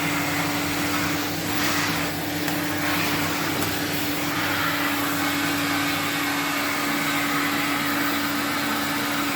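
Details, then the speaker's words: 1979 Electrolux Z96 vacuum cleaner, about four or five minutes warm: steady even motor hum and clean whine, no surging or rattle, sounds healthier winding down; normal running. "that actually sounds a lot better when it winds down from having it for a bit longer"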